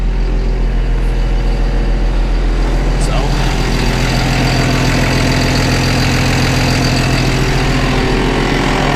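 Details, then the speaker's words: Forestry mower with Fecon mulcher head, after service, belt tensioner fix and new hydraulic filters: steady, deep diesel drone with an even, smooth beat and no knocks, squeals or belt slap; belts checked good; normal running. "I got it all fired up here got everything done on it just kind of want to show y'all hear it all running everything show you how it all turned out"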